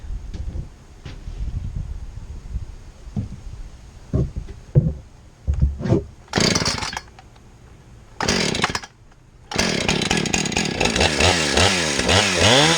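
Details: Husqvarna 455 Rancher chainsaw after oil pump, oil pump drive gear and rim sprocket replacement: handling clicks, fires and revs in bursts, then holds strong even high-pitched buzz; runs clean and now oiling the bar.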